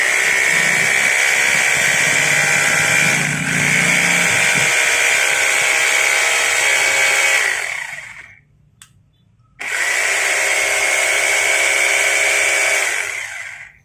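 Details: Rotary hammer drill after repair and reassembly, switched out of normal drill mode: a loud steady motor buzz with a fast even rattle, about three to four beats a second, stopping cleanly. The hammer action now works normally.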